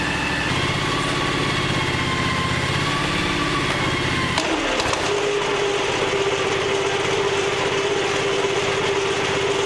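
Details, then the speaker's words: John Deere X729 yard tractor after tune-up and snow blower attachment repair, oil changed: engine runs evenly, then PTO engaged and blower clutches in with a thump, followed by a steady mid-pitched whirr; normal running with PTO engaged. "now I'm just going to kick the pgo in and make sure that goes round and round"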